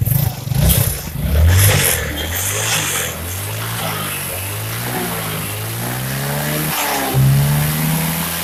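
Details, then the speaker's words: Early Yamaha Mio scooter after fixing a rough noise in the CVT area: revs rise and fall smoothly with the throttle, no grinding or scraping from the belt drive; noise gone and running normally. "Motornya digas melayu, geser sandarnya. Wis bok aman, nggak bunyi lagi."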